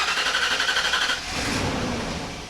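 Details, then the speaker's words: Sunken, abandoned SS Minnow boat car, engine cranked on starting fluid: fast cranking pulses catch for about a second, then fade; the engine itself is good but is not getting any fuel delivery. "Is that it trying to run? Oh, my gosh, guys, this is really exciting. Woah! >> It's trying. You can hear it starting a LITTLE BIT."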